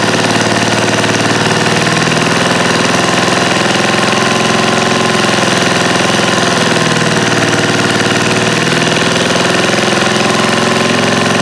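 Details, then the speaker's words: Old eBay-bought generator, with a fuel pump and carburetor problem suspected: loud, steady small-engine clatter holding a fast idle without dying. It runs only with the choke on, and the governor does not seem to regulate speed. "Let's let the choke on and try again. That seemed like it kind of worked with the choke on."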